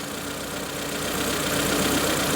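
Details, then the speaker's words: Proton Wira petrol engine idling unevenly with a stumbling beat, misfiring right after a new spark plug was fitted following old-fuel drain, lead repair and new injectors. Compression and valve clearances were already checked; number 1 cylinder injector suspected. Misfire, rough idle. "Struggling, struggling, struggling. Misfiring."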